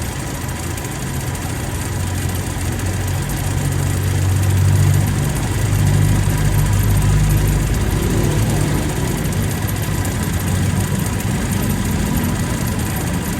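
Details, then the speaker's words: Toyota Revo, idling with AC on before repair: a deep steady drone with faint rough churning from the AC compressor. The mechanic says compressors often get noisy when dried out of oil and that adding oil usually cures it; the cause is unconfirmed here. "Minsan marami na tayong nagamot nito kulang sa langis. nawawala yang ingay na yan"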